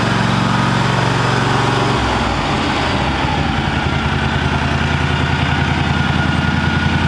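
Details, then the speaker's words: John Deere 757 mower, first start after sitting since last fall on fresh gas: fires right up to a steady, even low thump with no misses, knocks or rattles; runs cleanly. "fired right up guys I have to say that I really have no complaints with this mall or whatsoever it's been a really good more"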